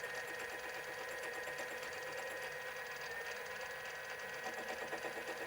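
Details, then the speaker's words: Mini lathe turning a 12mm linear bearing rod for a CNC3018 rebuild with a fresh insert, on a surface assumed to be case-hardened. A rough, rattling cut with an uneven rapid buzz as the tool chatters; it cuts easily once it reaches the softer centre. "You can just hear it, right? Hammer is shaking the tool around everywhere. Just won't cut in easily."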